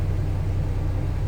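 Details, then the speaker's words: 1925 Pierce-Arrow Series 80 Opera Coupe, about 4.7 L inline six, manual transmission, floor push-button starter, float seemed fussy: just fired up, steady even low rumble, no misses, knocks or ticks, oil pressure came up; idling nicely. "Push button right there. Manual transmission. You can hear it fired up, idling nicely."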